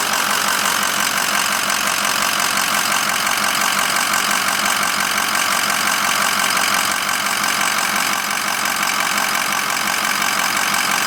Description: 2006 6.0 powerstroke knocking